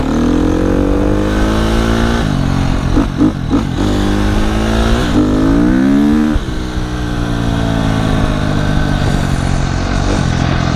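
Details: KTM 250 SX-F four-stroke dirt bike, after sitting a year, revved after an oil change: crisp single-cylinder bark climbing and dropping cleanly with each throttle blip, no knocks or rattles; healthy engine.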